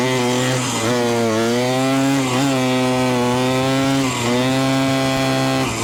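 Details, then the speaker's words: 1973 ATMX two-stroke ridden up the street after kickstarter and clutch repair: revs surge and sag under acceleration without matching pull, so the clutch is still slipping slightly. "you can hear the clutch is still slipping just a little bit"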